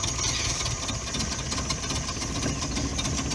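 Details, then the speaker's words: Subaru Brumby 1.8 litre boxer, cold, barely run recently: low, lumpy idle with uneven beat that dips and wavers as the engine fights to keep running; rough cold idle. "they're always a nice simple overhead down get rough on the idle at the moment but cold obviously"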